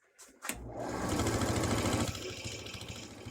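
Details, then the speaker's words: Craftex 083 14x40 lathe spinning a burl bowl: a low, steady thrumming pulse three or four times a second under the spinning; low spots leave the bowl out of balance, shaking the lathe. "so you can hear the vibration into it like i said that's because of the low spots into it but hopefully once i turn it around it won't be jittery like that"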